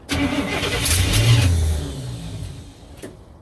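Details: 1967 Cadillac hearse, bought without a fitted gas tank and not yet started since purchase, top end checked: after cranking to build oil pressure and good vacuum, the starter grinds at a steady beat on a primed carburettor. The engine coughs and tries to catch but won't run yet.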